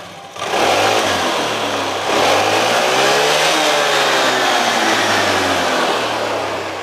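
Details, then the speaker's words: Carbureted Honda Vario scooter after repair of surging idle and poor pickup: revs up cleanly, idle steady not jumping, rising and falling evenly with throttle; strong healthy pickup. "tenang mas bro tenang l dengnya ini tenang bukan lompat-lompat kita gas ini ada tendangannya"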